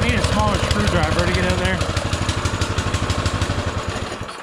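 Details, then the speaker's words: Baja Motorsports Baja Warrior mini bike, single-cylinder with small Japanese-made carburetor, just started and not yet warmed up: a fast, steady chug at about three pulses a second, idling too high on choke; the owner fears taking the choke off will make it rev higher. "runs good it's idled way too high cuz when you try to take the choke off I'm scared it's going to go too high and do something stupid so I need to address that"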